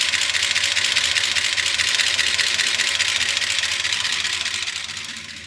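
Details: Gen 6 454 big block Chevy in a 1976 C30 dually, after oil filter refit, at low idle and revved for a minute or two; fast, sharp, even clacking across the top end, lifters starved with no oil reaching the top.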